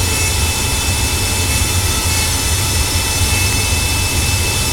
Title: Annoying furnace noise